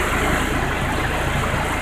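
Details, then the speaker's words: Nissan Hardbody truck, 203,000 miles, first start after timing chain rattle repair, with new valve cover and oil pan gaskets: steady, even idle with no rattle or tapping. "do that give her a start it is no noise"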